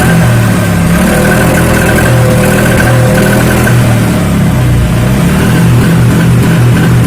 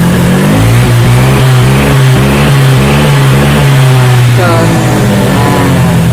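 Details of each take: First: Honda Vario 125 fuel-injected scooter with the injection light blinking 8 times: uneven, stumbling revs and exhaust pops on throttle; misfire and backfire from a tampered TPS throttle position sensor (wedged, brass contact scraped). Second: Honda Vario 125 fuel-injected scooter that blinked injection light 8 times (TPS fault, tampered TPS sensor), with sputtering and exhaust popping; after repair it starts and revs cleanly, pitch rising and falling evenly with no stumble or hesitation.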